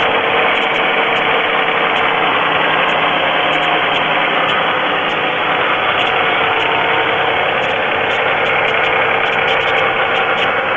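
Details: GM 3.4L V6 in a Pontiac idling with a light, quick, not strongly regular tapping; owner suspects piston slap; oil level full; noise later stops completely.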